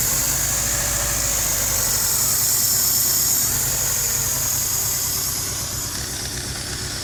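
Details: 2001 Hyundai Tiburon at idle: steady sharp hiss over even petrol engine idle pulse, a vacuum leak being located.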